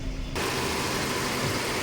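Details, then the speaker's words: Mercedes-Benz W204/W212 four-cylinder at idle, poor pickup, engine shaking visibly at the air filter side: uneven, shaky note with a stumble in the beat; misfire and rough idle. "तो आप देख सकते हैं अपना गाड़ी start हो और जो इंजन है ना वो कांप रहा है हिल रहा है"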